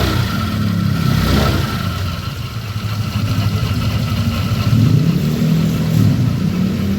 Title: Honda Vario 150 CVT Noise Caused by Worn CVT Block Bearing